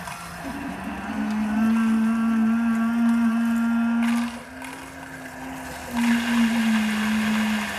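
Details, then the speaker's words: 2021 Alpine RV, Suburban IW60RL on-demand water heater that had been cycling on and off and mooing, after repair: the pump hums steadily, wavering and dipping as bubbles pass through the hose. Air is still purging from the lines. "It's still working all this air out of the system. If you guys can see this hose over here, the air bubbles are going through the hose."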